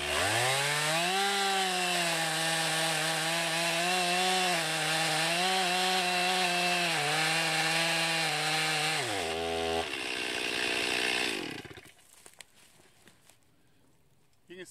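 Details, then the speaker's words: 2020 Stihl MS261 chainsaw, non-M-Tronic standard-carburetor version, 20-inch bar, cutting oak: clean high scream sags slightly as it bites, holds steady, then drops off; normal, healthy saw pulling well under load. "handles that oak pretty well too just a good versatile saw like i said i've cut down almost an acre"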